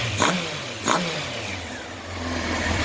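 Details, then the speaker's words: 1993 Honda CBR900RR California spec four, after new header gaskets and a four-carb sync (number three as base), warm, temperature a bit high with fans on: crisp throttle blips rising and settling to a steady idle. More responsive, no more clutch rattle, running smooth. "much more responsive so no more clutch rattle this thing is running smooth now so very happy about that"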